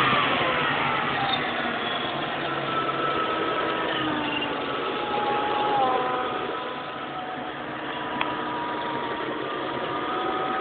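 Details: 2003 GT V8 with Kenne Bell supercharger fitted about 15 months, idling: steady mid-pitched hum sagging and rising with engine speed, louder on left side; owner suspects pulley with bad bearing, not the blower; unconfirmed.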